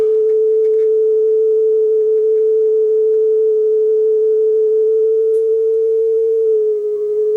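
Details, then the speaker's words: Marantz 5030 cassette deck that eats tape: steady test tone with slight waver, flutter higher than desired; pitch shifts lower near the end as speed is trimmed; tape speed off, belt or pinch roller suspected. "Flutter is a little higher than I'd like to hear it. That's for sure. Speed is a little bit off."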